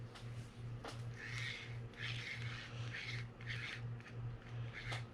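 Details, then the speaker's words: Penn Battle II 2000 spinning reel after service, worn anti-reverse: steady low ratcheting clicks about one and a half per second while cranking, light rasping; anti-reverse functioning normally. "So that noise that you hear there essentially is the anti-reverse, but it's functioning fine, so that's good."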